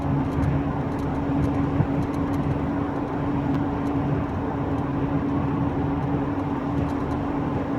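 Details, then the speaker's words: Mk3 VW Golf Cabriolet cruising near 50: steady whining, pulsating low drone and vibration over road and tyre noise, even pitch; suspected worn rear wheel bearing. "coming up to about 50 I think there's a sort of whining pulsating pulsating whining low vibration and I think it's coming from that that really large there"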